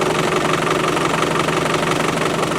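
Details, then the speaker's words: Isuzu 4BD1T turbo diesel in a Land Rover, cold at -4°C with cold-start device almost released: even clatter at a steady idle with no misfire or hunting; sounds okay, power could be better; normal cold idle. "I don't know but I was kind of pleased that this the sounds okay Power H could be better but it's okay but"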